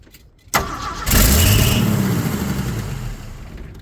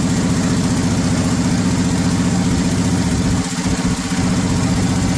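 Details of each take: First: 1979 Ford F150 4x4 with 300 straight six, sitting 4 years, first start with charged battery after checking for hydrolock: brief crank, catches and settles into a steady even idle without knocking; not locked up, has spark, carburetor still needs work. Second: 1979 Ford F150 shortbed 4x4, 300 straight six with new carburetor, started after sitting 4 years: rough uneven idle with a loose puffing chuff over the low rumble; owner says it clearly has an exhaust leak somewhere.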